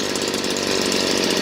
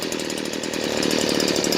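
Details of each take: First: Stihl BG56C 27cc two-stroke leaf blower at wide-open throttle after the high-speed screw was turned back about a half-turn to cure a stutter at the top. Steady, even scream with no break-up; running clean. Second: Stihl BG56C 27cc 0.9hp two-stroke leaf blower, warmed up, low-speed screw turned fully left: raspy, uneven, labouring, pulsing running with dropped idle; boggy idle from misadjusted low-speed carburetor screw, about half a turn from running right.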